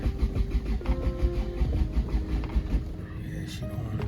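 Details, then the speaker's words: Toyota manual, jump-started, clutch in and neutral: low, even cranking thumps about three a second for nearly three seconds, then stops; engine turns over but does not fire; cause unknown. "nothing yeah so she seems like she still don't want to start so we have to figure that out"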